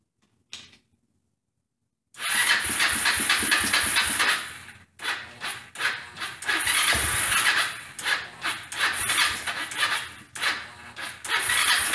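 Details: Old Kawasaki four-wheeler single-cylinder, first start after home top-end work with hand-ground valves: fires ragged and uneven, surging and cutting out with sharp pops; backfiring from weak ignition voltage.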